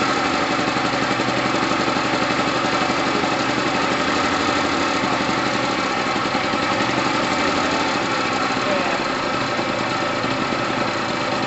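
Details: Gilera DNA 125 two-stroke, which had sat a while and needs loosening up, idles with an even, buzzy beat and no misses, knocks or rattles. New fuel line fitted; heavy oil premix. Normal idle.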